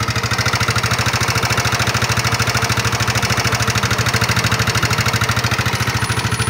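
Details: Nmax (2019) scooter, still rough after piston and block replacement. Hard, very regular tick about three per second at idle from inside the engine; checked before teardown, mechanic suspects the connecting rod, not confirmed.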